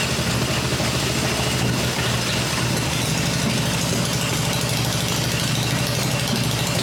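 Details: Freshly built Harley Evo V-twin on a test stand, exhaust pipes covered to hear the engine mechanically, during a one-minute run cycle: steady even idle with no misses or surges; normal smooth idle.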